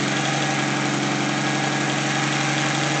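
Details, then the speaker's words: 1964 Pontiac Tempest inline-6, first start after replacing the worn carburetor with a budget carb and adding an inline fuel filter: steady, even idle with a smooth low drone and no misses; running much better, normal idle. "And I tell you, she's running a whole lot better than she was."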